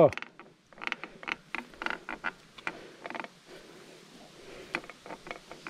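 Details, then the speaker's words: Aluminum-frame Poseidon Norton bike ridden on trails after upgrades: irregular dry creaks and ticks in short bursts; rider suspects the headset, noise reverberating through the frame. "I think it's the headset this thing with aluminum is it uh reverberates through the whole frame so even though it the noise is coming from here it works through the headset or through the frame and it sounds like it's coming from somewhere"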